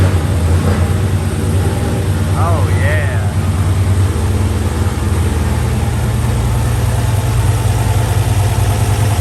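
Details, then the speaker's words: 500 hp WS6 V8, first start in almost a year, settling into idle with 65 psi oil pressure. A deep, steady rumble with an even idle and no knocks or misses. Sounds healthy. "oh she sounds good [Music] that is the best sheer sound i had 65 pounds of oil pressure"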